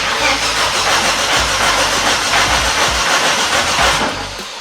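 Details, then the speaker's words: Volvo S60 T5 front half cut off as donor engine: starter churns steadily about three turns a second with no firing; crank no start, engine malfunction message, OBD shows high speed CAN bus fault. "No, it doesn't fire up. Let's see what the OBD reader says."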